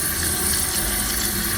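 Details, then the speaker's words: Running toilet before repair: worn fill valve lets water level rise too high, near the overflow tube top, water dripping out; very loud, later replaced with Fluidmaster 400A. Constant hissing flow with faint whistle, never shuts off: running toilet from worn fill valve. "Okay y'all, I got a running toilet. Kind of whistling and whistling."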